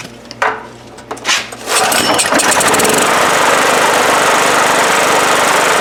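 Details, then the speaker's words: 1997 Honda EB5000 generator, no-start fixed with a cheap non-OEM carburetor. After pull-start it catches into a harsh, uneven buzz that never smooths and won't run wide open; rough running, new gasket suspected, not confirmed. "yep so it is not running right it won't run wide open so maybe that gasket uh is an issue"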